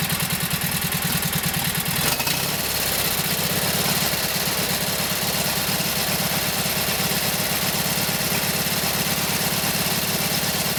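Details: Kohler KT17 twin on first start after rebuild (lost governor), warmed up, oil pressure 50; steady, even putter at settled idle, no knocks or clatter, runs smoothly; carburetor still to be tweaked, max speed to be set around 3,000–3,600 rpm.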